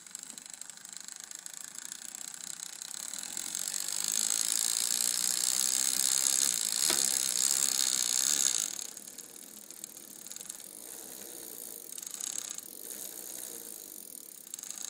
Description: Clicking noise coming from chain rubbing on derail